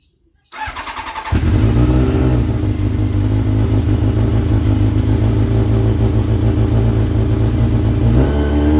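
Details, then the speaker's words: Motorbike picked up from transport, battery charged on a mains charger for a few hours after no solar charging: short crank, then it catches cleanly and settles into a steady, even idle with no misses or knocks; starts and runs fine. "Okay, so that started and ran beautifully."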